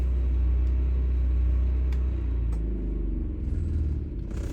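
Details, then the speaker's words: RV onboard generator after running in storage to charge batteries, stop button held: steady deep drone loses its even beat, sags in pitch and fades away as it spools down; normal shutdown. "press and hold the stop button until i don't hear the generator revolving anymore i no longer hear it and it is completely off"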